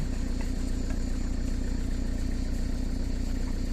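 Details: Diesel van at idle after its accessory belts were replaced: steady, even, smooth low rumble with no chirp or squeal from the belts; normal idle.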